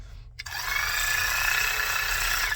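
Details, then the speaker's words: Matco Infinium MCL1238R 3/8-inch 12V electric ratchet, over 10 years old, before motor replacement: thin, steady high whine for about two seconds with little power. Slow and weak, sometimes smokes; motor worn. "it's got a very slow crank it doesn't have a lot of power it smokes sometimes"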